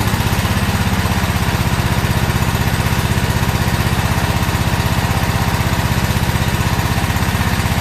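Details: About a year old commercial Toro zero-turn mower, twin engine, run after a no-start repair with the old spark plugs and the air filter refitted: heavy, rough chugging about four beats a second, and it may still be skipping; cause unconfirmed.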